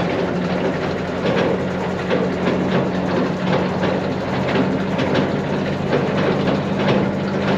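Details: New Mas silage trailer apron chain driven by hydraulic motor, unload time about 2 minutes depending on tractor flow. Steady hydraulic hum with light even chain clatter, no snatching or grinding. Normal, smooth, quiet running.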